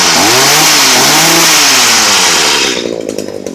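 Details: Stihl HS 45 hedge trimmer, cold, after repairing a no-start caused by a wire touching metal: small two-stroke revs crisply with a rising buzz, then drops cleanly to a steady, even idle; normal cold start and run.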